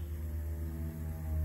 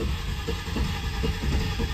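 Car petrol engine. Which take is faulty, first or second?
second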